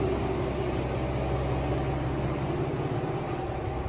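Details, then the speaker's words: 2002 Chevrolet Trailblazer, 196,000 miles, after fuel injector and valve cover gasket replacement for a cylinder 4 misfire: steady, even, smooth idle with no stumble. No check engine light; the earlier door vibration and put-put exhaust are gone. "all right it's uh for the first time since we bought it it's idling smooth"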